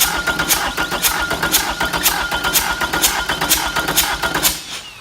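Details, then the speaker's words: Four-cylinder diesel cranking in a relative compression test, with a current probe on the battery positive cable and the cam sensor signal on a scope. Firing order 1-3-4-2. Number 1 glow plug is removed, so only 3 of 4 compression events show and one compression push is missing each cycle. "So you can see now with my 4 indicators at the top, I've only got 3 compression events. So I've lost one."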